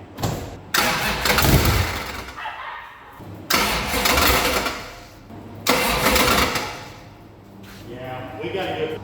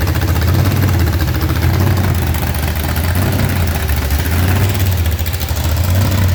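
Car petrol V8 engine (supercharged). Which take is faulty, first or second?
first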